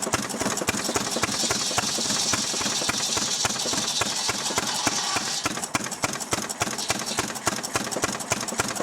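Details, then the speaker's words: Restored 6 hp Fairbanks Morse Model Z slow-speed stationary engine running on kerosene, driving a buzzsaw: sharp regular firing pops with the saw hissing through firewood above, steady; normal, healthy running under load. "Got it running now. It's running on kerosene. I'm gonna head over now and cut up some wood."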